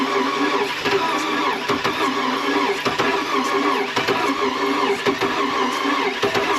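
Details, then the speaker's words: Oldsmobile Bravada, sat a while, crank no start: fast, light cranking with weak, uneven compression pulses and no catch; compression test builds some pressure but not enough, diagnosed as a blown engine. "It's building up some pressure, but it's not building up enough pressure."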